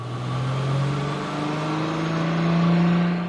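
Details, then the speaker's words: 2004 VW MK4 GTI, 6-speed manual, previously had a severe whine on deceleration in 3rd; after installing a washer fix, smooth engine drone rises as the car pulls, with no whine on or off throttle; the gearbox sounds healthy. "I don't hear it. Okay, I don't hear it, so now let's go test drive it and see if we hear it on the road."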